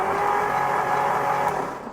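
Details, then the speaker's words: 1963 Ford Galaxie 500 starter tested in car with 12 volts applied directly to the starter terminal (old solenoid bypassed): high free-spinning whir with no clunk of meshing, so the bendix drive isn't engaging the flywheel. "but you don't hear the bendex moving you don't hear anything with the bendex popping off of it which it should be doing"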